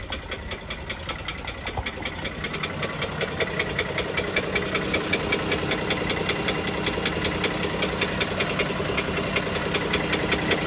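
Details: Pentastar engine at idle: sharp, even ticking knock about two and a half per second, clearly above the engine hum; after several second opinions, a worn piston wrist pin is considered more than likely.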